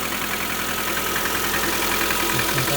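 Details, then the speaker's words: 2019 Lada Granta FL, 3,500 km, morning cold start at minus 14°C: idle with light, uneven tapping about two to three per second over the engine, smell of petrol; source of knock not yet found. "завожу машину минус 14. Вот так тарахтит движок."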